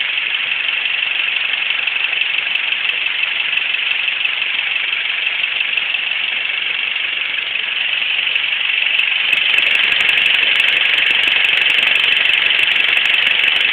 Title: Ticking Sound